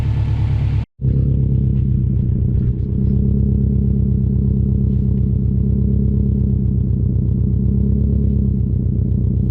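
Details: Subaru WRX STI V5 boxer engine after the ticking was fixed: a deep, even rumble with a steady pulse and a slight rise in revs partway through, no tick; the engine sounds healthy.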